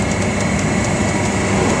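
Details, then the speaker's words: V40/V70 hydraulic waste cardboard baler pressing a bale at about 4 tons: steady hydraulic pump drone, even low hum as plate presses down, stopping halfway through cycle for string tying; running normally. "there's about 4 tons of pressure on there and it's going to stop halfway through the cycle"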